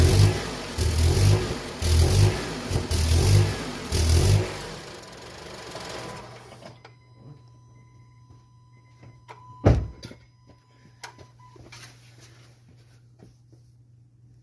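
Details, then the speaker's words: 2007 Honda CR-V stalling after about 3 minutes, revved to 2,000 RPM: revs surge and sag about once a second, choked and flat, then dies; high MAP reading indicates exhaust backpressure. "that's a key on now okay so at this point I actually found something so the map sensor is going up high when uh you rev the engine and maintaining a 2,000 RPM"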